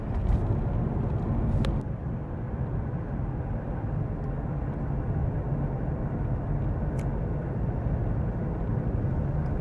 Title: ハブベアリングの異音 走行中 タイヤからゴロゴロという異音